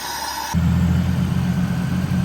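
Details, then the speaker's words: Buick 3.8L V6 (Monte Carlo ECU installed) that cranked but wouldn't start, now running after a used replacement part. After a brief high tone, a steady even idle hum; fan kicked on after idling for a while; it runs well. "Car's been idling for some time now. The fan's kicked on. I think we're doing pretty good."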